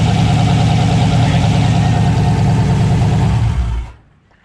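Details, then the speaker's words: 2020 budget-built Foxbody with a turbo 6.0 LS swap, first start: lumpy, uneven idle stumbling about three times a second, then shut off. Misfire persists after the coils were swapped; plug wires are next, and a coil power or signal fault is suspected. "all right so we changed the coils we switched them around and now we're gonna try starting it and see what happens no I could hear it again switch the spark plug wires"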